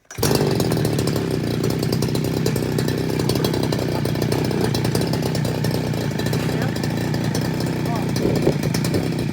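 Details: Two-stroke brush cutter that had been bogging and dying on acceleration, with fuel leaking at the carburettor; quick start, then a steady, even buzzing run with no stumbling or surging; running cleanly.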